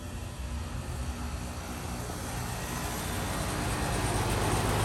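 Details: Outdoor central AC unit, possibly the 1997 5-ton 38CK with scroll compressor: unexpected startup, steady rushing hum swells and settles into an even run, no knocking or rattling; healthy compressor start.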